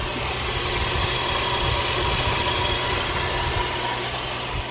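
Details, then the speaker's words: Infiniti G37S, about 224k, sat roughly 2 years, started in 20-degree cold: runs well with no misfires, but at idle a hissy metallic rattle from the front serpentine accessory drive; owner suspects a bad pulley, unsure. Accessory drive noise. "I am hearing some noise, like there may be a bad pulley or something on the front drive system, on the serpentine system, but it's hard to tell right now."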